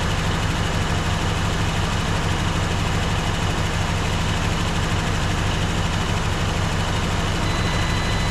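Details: Warm 1954 Dodge Coronet Suburban two-door wagon with a Poly V8 (not a Hemi), revived after 42 years in a garage, on recycled premixed antifreeze and not leaking; steady, even idle with a smooth low pulse and no valvetrain ticking; healthy.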